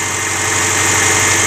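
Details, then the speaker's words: Early-2000s Subaru Forester boxer, 250k km, cold start idle on Mobil 1 5W-30, valves in spec, new timing belt/tensioner: fast light clattery ticking under a strong hiss, classic piston slap, injectors adding some clicking; harmless but annoying. "this is fairly classic piston slap you can hear right here again it's not a problem to the engine it's just annoying for the driver"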